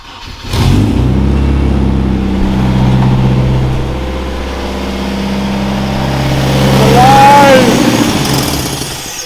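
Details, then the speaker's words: Nissan 240SX S13 coupe with a KA24DE swap, after a crank-no-start diagnosis and a spark check at the igniter: the engine cranks, catches, holds a wavering idle, then sags and dies. Owner suspects ignition timing, set by rotating the distributor without a timing light. "And she died, but she [ __ ] runs. I am beyond [ __ ] stoked that this thing kind of fires up, starts. It does die."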